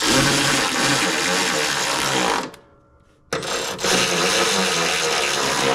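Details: Hustler Raptor SD 60-inch mower, model 934612, just after deck belt replacement, test run: steady even engine drone with blades whirring evenly, short break midway, smooth under power. Normal running; idler pulley guides still due for replacement.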